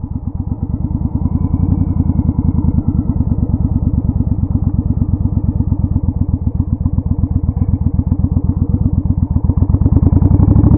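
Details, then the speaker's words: 1981-83 Yamaha Virago bobber, open pipes, pod filters, intake restrictors removed, stock jets: V-twin pulling hard at about 45 mph in second gear, around 5000 rpm, crackling and popping, indicating lean at high rpm before rejetting. "with the intakes opened up uh we started popping so that's a pretty good indication that we're leaning out as we get up into the high rpms"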